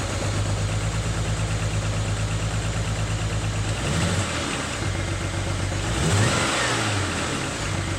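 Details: BMW N54 engine misfiring: stumbling, uneven idle pulse, then revs rise and fall without smoothing out; cause not yet diagnosed.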